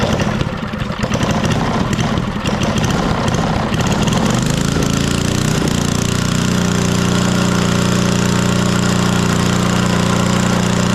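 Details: 1964 Wards Power Kraft generator, Briggs & Stratton single, first run after long storage; plug had been wet, stuck float suspected, spark good, choke off: ragged uneven firing, then a steady, even drone. Engine running after long storage.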